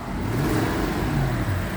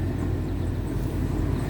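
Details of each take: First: 2002 Toyota Sequoia V8 revving with a rough, raspy exhaust edge like a leak; owner suspects the common age-related cracked exhaust manifold rather than a true exhaust leak. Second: 2002 Toyota Sequoia 4.7 i-Force V8 started in neutral: catches at once, settles into a deep, even idle with no misses or knocks; only fan belt noise heard.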